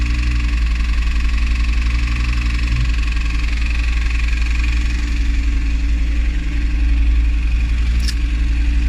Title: Audi TT RS engine knocking sound